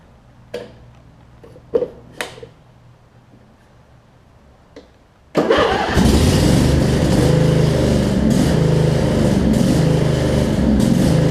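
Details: Craftsman riding mower with Briggs V-twin, ride after shift hub repair; a few clicks, then engine catches and settles into steady, even drone with no misses or knocks. Normal running.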